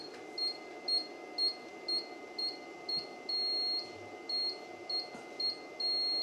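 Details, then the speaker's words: Lalela Lal-600W-Plus LiFePO4 pure sine wave inverter trolley loaded beyond 600 W (rated 1kVA): overload buzzer beeps frequently over steady electrical hum; output holds about 223 V, 50 Hz, waveform still good. "right so now I've overloaded the unit I can hear the buzzer is buzzing frequently now"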